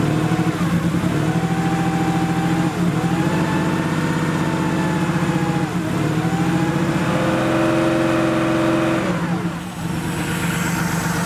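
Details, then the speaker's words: Porsche 3.2 Carrera with rebuilt fuel injectors, fuel pressure near two bar: rough steady note that surges, sags and stumbles every few seconds, then dies but restarts; erratic running at and off idle, cause unknown. "it's interesting we've got a little bit of surging going on at idle whoa that was interesting that's interesting just died"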